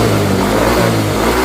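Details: Yamaha Mio 125 / Fino / Soul GT / Mio M3 scooter after camshaft replacement for rough noise, rocker arms found good, idle set at the plastic air idle screw: smooth even engine note revving cleanly with no top-end ticking or rattle.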